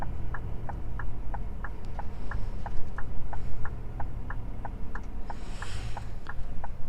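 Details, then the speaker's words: Truck cab while slowing into a parking queue near the Turkish border: crisp, evenly spaced hazard flasher ticks about three per second over a low diesel rumble; normal flasher. "Okay, we are slowing down. Oh, that's the line to the parking. Oh my god. Okay, I will put hazard lights."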